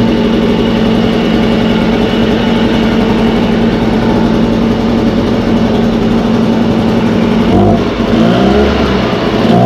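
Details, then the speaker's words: Echo 403T blower, two-stroke, after Zama carburetor replacement: screaming flat out at a steady high pitch, held at wide-open throttle while the high-speed mixture screw is set; engine at wide-open throttle during high-speed adjustment. "you probably won't hear me talk when i do the high idle one but i'm going to do the same thing i'm going to get that fully throttled up i'm going to bring it all the way so it won't go any higher"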